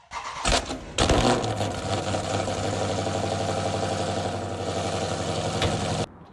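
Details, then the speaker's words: Car cold start: starter whirs, engine catches with a loud roar and settles into a fast, steady high idle; normal cold-start behaviour, as the cold engine raises rpm and injects more fuel to warm the engine and catalytic converter. "Isso se chama cold start. Isso acontece quando o motor está frio, o carro aumenta a rotação e injeta mais combustível."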